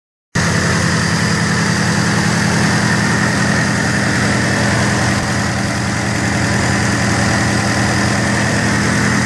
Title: Turbo whine